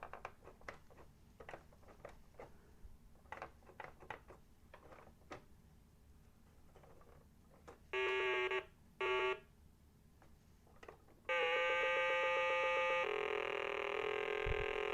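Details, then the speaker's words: 1980 Milton Bradley Super Simon on batteries, first power-on test before repair: soft clicks, then harsh, buzzy tones where clean notes should be; sound faulty with the cause not yet found, and one button is not pushing. "That's clearly not sounding very healthy, is it?"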